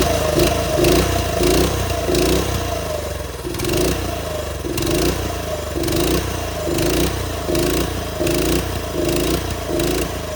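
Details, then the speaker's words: TrailMaster go-kart engine that sat all winter, after blocking the intake and pulling over to suck debris through the carb: surges in uneven bursts, revving then sagging, won't hold idle; jets clogged, carb bowl to be pulled. "So it's not one to idle, but that basically fixed our problem."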